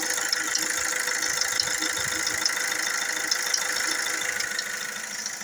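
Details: Fiat Doblo 3 Multijet diesel at idle: fast light metallic chatter about three per second over steady idle hum; suspected timing chain noise, not confirmed.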